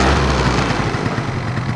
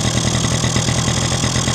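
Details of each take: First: Two-stroke scooter with the choke fully on, demonstrating correct two-stroke running: after each throttle blip the revs drop sharply and the engine idles crisply and evenly. Normal idle. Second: Two-stroke engine: unscrewing the mixture (quality) screw makes the idle fast, uneven and hunting — lean mixture; screwing it in drops revs. Owner suspects the screw backed out by itself, causing the earlier lean running.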